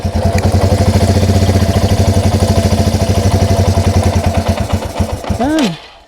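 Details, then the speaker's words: Yamaha TW200, fully warmed up, with a vacuum leak created at the carb-to-head intake boot: single-cylinder thumping at idle slowly loosens and falters, then the engine stalls from too much air. "It runs a little bit. and then shuts off. It's a bit too much of a vacuum leak for it to really stay running."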